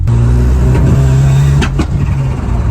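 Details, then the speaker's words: Ford Sierra Cosworth turbo, driving on the road: steady low drone with a couple of sharp pops as it pulls; stumbling and not coming into boost, cause not yet investigated. "Not coming into boost. I'll have to investigate this. Something doesn't sound right with this car."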